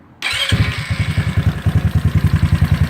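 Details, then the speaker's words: GY6 scooter engine with a PWK carburettor, idle mixture screw set back to one and a half turns and idle screw turned clockwise: starts straight up and settles into a steady, even putt-putt about three beats a second. It sounds smoother, a normal idle. "it sound like it's a little bit more smoother again"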